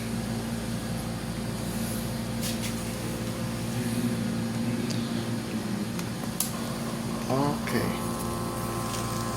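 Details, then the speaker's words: Philips CM120 patient monitor NIBP module, previously inflating but sticking, on test with a cuff: the small pump hums steadily and evenly as it fills; normal cuff inflation. "It's inflating and there's a clicking sound, meaning the solenoid is working. So, it's going to work now."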